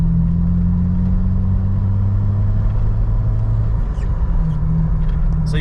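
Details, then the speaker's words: Jeep Wrangler TJ after replacing leaky Flowmaster FlowFX with fully welded exhaust and Thrush muffler: start and idle, deep steady low rumble, no ticking or puffing from joints; no exhaust leak, no quieter at idle. "yeah it definitely does not sound any quieter when you're just sitting here and whenever it starts up uh it sounds better because of there's no exhaust leak"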